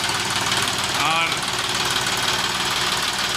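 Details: John Deere 5210 4WD tractor with newly replaced engine after old block cracked, first start: steady busy diesel clatter at even idle, no misses or heavy knock; slight smoke and rough sound expected until 4–5 hours of run-in.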